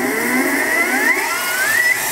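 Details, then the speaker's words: Harbor Freight mini mill retrofitted with 600 W surplus e-scooter brushless DC motor and Little Machine Shop belt drive: smooth whir climbing steadily in pitch as spindle quickly winds up to roughly 2200 rpm (original 2500), no grinding; normal acceleration. "it'll go really fast and it accelerates very quickly this is 2200 rpm roughly and that's 2500 was the original speed based on the gear ratio or the belt ratio of the little machine shop belt upgrade"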